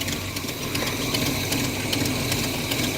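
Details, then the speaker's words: Pontiac Firebird with a Pontiac 350 V8, warmed up, idles with a sharp, fast ticking over the rumble from a large exhaust manifold leak. "Got a hell of an exhaust leak though up at the at the manifold."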